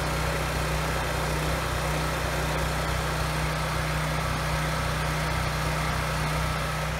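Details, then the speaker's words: 7-year-old Husky generator, Subaru EX30 engine, after carburetor rebuild and pilot jet drilling: steady even drone, no hunting while loaded; surge almost gone at about 900 W, good at 1500 W; still surges at no load. "Under about a 900 watt load, the surge almost goes away. And 1500 watt load is also pretty good."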